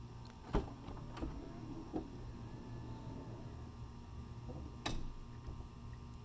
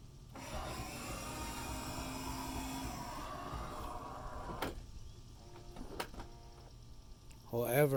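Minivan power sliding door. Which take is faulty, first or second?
second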